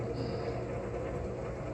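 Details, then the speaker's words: Used Wood Gun downdraft gasification wood boiler, just lit with wood loaded: steady, even whoosh with a low hum beneath and no knocks or rattles as the big rear draft fan pulls combustion air; normal running. "but you can hear it running you can hear that fan some big pieces of wood load that bad boy there we go"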